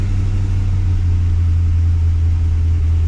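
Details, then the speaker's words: Holden VX SS Commodore with home-rebuilt 4L60E automatic, shifted to second gear, rpm dropped on shift, wheels spinning; steady low drone, no whine, clunk or grinding; healthy. "it's spinning nicely I don't hear any major noises I will need to jump out and check for fluid leaks but so far so good"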